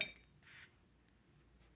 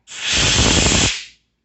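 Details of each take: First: Portable on-demand oxygen tank with nasal cannula: short soft hiss puffs from the regulator about every 1.8 seconds, one with each inhalation, in a quiet room. Normal pulse-dose delivery. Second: if you hear that sound you know that you are missing your washer and you either need to check the tank that you just removed your regulator from or on the floor around your tanks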